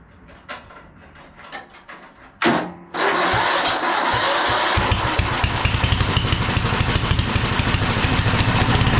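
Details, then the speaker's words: 1997 Craftsman II rear-engine rider, 13.5 hp Tecumseh, long-stored, mouse nest in air filter, gas sprinkled into carb, neutral, blade off: scattered clicks, short crank, then fires into a quick, even single-cylinder putter; started, seems to like choke. "bit more of a mous mess than I thought but it runs seem to like choke"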